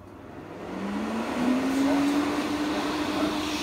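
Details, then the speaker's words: Systemair RVK 8-inch in-line booster fan (1080 m3/h) first test run before installation in the roof cavity: smooth hum rising as it spins up, then steady tone with even airflow rush; not too noisy, healthy. "noise wise it's not too noisy which is in that roof cavity it will be in the toilet but what"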